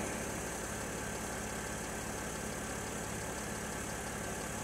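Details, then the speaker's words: Mercedes GL with the engine idling after an Airmatic air suspension repair including a fixed leaking hose: the compressor kicks in with a steady buzzing drone, working normally without labouring as the car rises to ride height. "okay now you can hear the compressor kick in see the car rising"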